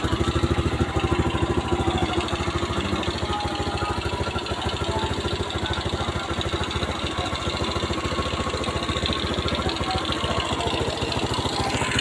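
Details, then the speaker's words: Carbureted motorcycle after carb cleaning and float reset to cure flooding; steady, even single-cylinder putter, no misses or knocks, no longer flooding; normal idle. "Akhirnya motor ini bunyi bunyi juga ya teman-teman. Selama 3 tahun sudah dinyalakan."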